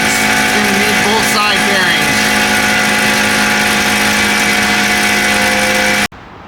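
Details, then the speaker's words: Ford Explorer heard from underneath, growling from rear when driving over 35 mph; steady droning growl with gritty edge from both sides; worn rear wheel bearings, both replaced. "you can hear that bearing just a growling uh it's making noise on both sides"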